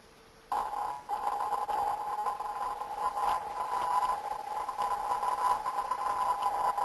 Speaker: The tonal quality of the recording suggested popping noises. That's characteristic of them discharges as we hear it.